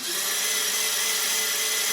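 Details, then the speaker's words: Qlink Axon 50cc scooter: starter whirs steadily and keeps spinning with no firing or catch at all; cranks but the ignition gives no spark. "no spark nothing"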